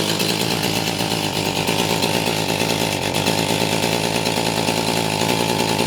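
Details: STIHL MS291 chainsaw with no power that won't rev; it holds a flat, strained buzz and never climbs in pitch, caused by a carbon-clogged spark arrestor screen, later burned and wire-brushed clean.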